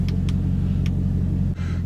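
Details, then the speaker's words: Camaro after replacing the blown fuse shorted by MAF harness rubbing on power steering pulley (aftermarket AEM intake): low, steady idle rumble, even beat, no misses or knocks. Normal idle after repair. "Okay, is it going to start and stay running? Start right up."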